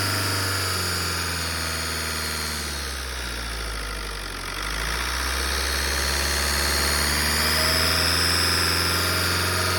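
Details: 2007 Ford C-Max 1.8 TDCi diesel revved at standstill: a high thin whine from the intake rises and falls with revs; present hot or cold, mainly during engine braking in 3rd gear from 3000 to 2000 rpm, gone under load, with no power loss.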